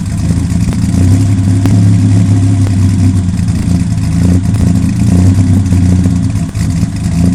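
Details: 1997 Ford Ranger XLT 4.0 V6 with Flowmaster American Thunder dual exhaust, misfiring: deep loud exhaust rumble with uneven stumbling beat and occasional sharp pops.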